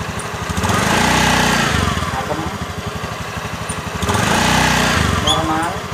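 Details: Honda Beat eSP scooter, CVT, after replacing worn-out clutch shoes that caused a clunking on takeoff: engine pulls up smoothly twice from idle and back with an even beat and no clunk; normal clutch engagement on takeoff.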